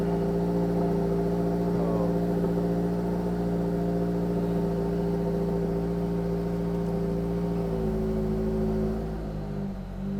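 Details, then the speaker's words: First cold start of a turbocharged new-generation Subaru BRZ with headers, wrapped downpipe, catch can: steady, even idle, smooth low hum, no knocks or misses, rev not too loud; normal cold idle. "so sound is not too loud when you rev it Mal let's wait for the engine to heat up so let's do a sound check oh you hear that turbo whistle sounds good"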